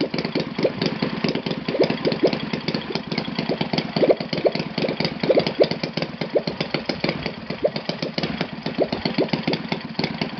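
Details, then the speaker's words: Enya VT 240 twin model engine on test stand after carb cleaning, valve clearance adjustment and left valves re-lapped, Byron 10% fuel, 20x8 Master Airscrew prop: fast, even crackling firing pulses at steady speed, both cylinders firing cleanly. "so let's start it again oh compression i really like this"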